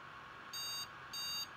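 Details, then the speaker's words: Asus Zenith Extreme motherboard, Threadripper build, at power-on: three long, even high-pitched memory beep codes, no boot, whenever RAM is added to the outer two slots; second board, sticks tested good. "so if I boot up now I'll get the three memory beep codes this is the second zenith extreme motherboard I've had"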